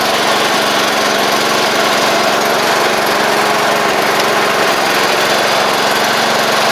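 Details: 1985 Wheel Horse 312-8 garden tractor after revival: the single-cylinder engine runs at a steady, even speed with a constant drone and no knocks or misfires; it runs, drives and the deck works.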